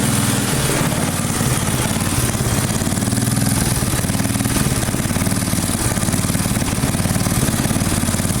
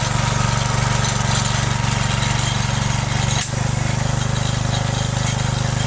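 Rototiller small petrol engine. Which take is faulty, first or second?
first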